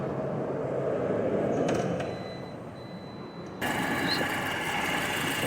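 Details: Engine with a new module and the original TBI, checked during injection fault diagnosis: steady, even idle with no misses, surges or knocks, with some background noise; normal idle.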